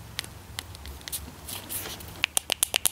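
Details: Zama CHU 168H carburetor rebuild: old diaphragm flexed by hand gives crisp crinkling clicks, about ten per second, stiff and worn, other one has a hole, unlike silent new diaphragm.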